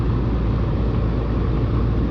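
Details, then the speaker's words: Old home AC condenser unit whose compressor another company condemned: steady, heavy low hum with no run-up or rise in pitch as the compressor stalls in locked rotor and never starts. "Doesn't sound good at all. Lock rotor, lock rotor. Lock rotor, lock rotor."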